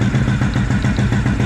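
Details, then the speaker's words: 2004 Suzuki LTZ250 single-cylinder quad after unplugging a blocked carburettor vent that was starving it, throttle adjustment set very high, still smoking: steady even thump at fast idle, no stumbles or surging; normal high idle. "That was starving the carburetor. I don't know why he had that vent plugged off. Now it sounds good. Again, the throttle adjustment is really high on this."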